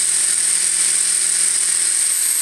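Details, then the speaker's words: Electric RC helicopter, iKON flybarless governor, HobbyWing RPM sensor, Castle HV ESC, in stunt 1 at 2200 rpm: constant high rotor and motor whine with no rise and fall; headspeed steady, and the previous night's hunting is absent. "there's the spool up and that's in stunt one so that's a 2200 rpm"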